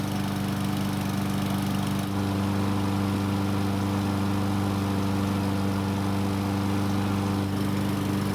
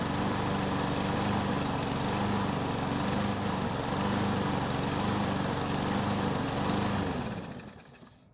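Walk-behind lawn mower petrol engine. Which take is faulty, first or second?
second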